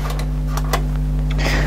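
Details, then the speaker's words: 1998 Kenwood stereo rescued from the roadside, cassette deck B playing: steady low motor hum, faint tape hiss and light clicks, even and unwavering; deck B plays normally, while deck A's motor runs but it doesn't play. "let's Press Play I hear the motor going but no built try this one this one seems to work"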